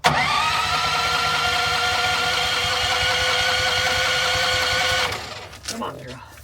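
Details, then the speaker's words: RVMP 5500 onboard generator on a Brinkley 3950 RV, just switched from LPG to onboard gasoline and freshly primed: the starter whirs about five seconds and cuts off without catching. Cranking without starting, expected to take several cycles. "We'll find out cuz she's going to start. She's going to run like five cycles until it starts."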